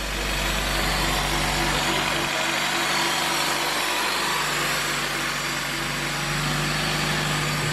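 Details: Stock Honda K24 engine swapped into an EP3, first start after the budget build: steady, even idle with a smooth exhaust note and no knocks or misses; running normally.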